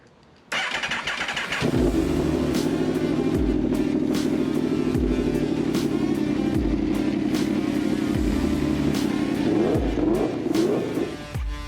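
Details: 2014 Aprilia RSV4, first start after rebuild of a wrecked bike, throwing intake air pressure sensor codes: engine catches and runs with a hunting, uneven rev that surges and sags, from sensor hoses the previous owner disconnected.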